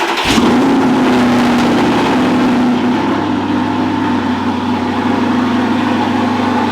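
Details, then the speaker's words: 2012 Audi R8 V8 after three days sitting, in garage, just after AC compressor replacement, fluids topped off: quick crank, catches at once, flares then settles to steady even high idle, no knocks or misses; normal cold start. "but here's a three day cold startup in the garage"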